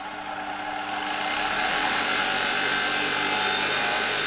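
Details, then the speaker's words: 1987 Zelmer type 200.8 vacuum cleaner's type 300 motor tested after replacing one brush: spins up in about two seconds to a steady high whine, no rattle or scraping, little brush sparking seen; normal motor run. "Zrobiłem już test tego silnika mogę wam nawet żeby nie trzymać was w niepewności mogę wam nawet tutaj króciutko pokazać jak ten silnik działa po wymianie jednej ze"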